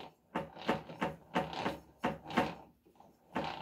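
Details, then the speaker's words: Mud mower drivetrain turned by hand in gear after reassembly with fresh gear oil. Quiet gritty rasping in bursts about once a second; bearings had been bad and worn to one bad spot, though it still spins. "has a one bad spot in it but remember the bearings were bad in this it was going like this so I think it wore out to one piece hear it right there but I can still spin it"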